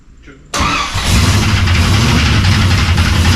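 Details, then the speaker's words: Cold V8 in shop project car after suspected bled-down lifter and firing order check, fans not yet hooked up: fires into a lumpy, uneven loping idle, still rough because the engine is stone cold. "It's going to take a little time to get some heat in her and get her going again."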